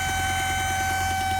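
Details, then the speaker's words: Supercharged car at idle: steady piercing high whistle over even idle rumble, loud in cabin and outside; first suspected crankcase breather, which turned out not to be the cause. "mega wkurzająca nie da się z tym jeździć nie i nie da się z tym jeździć w kabinie to słychać na zewnątrz to słychać"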